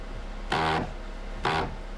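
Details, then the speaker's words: 2007 Mazda 3 power window after switchboard replacement, trying to raise it: two short bursts of harsh buzzing grind; stripped/shredded regulator wheel gear not lifting the window (motor or regulator suspected). "try to uh put the window up makes that noise i'm not sure if it's the motor or at the actual window regulator that's broken"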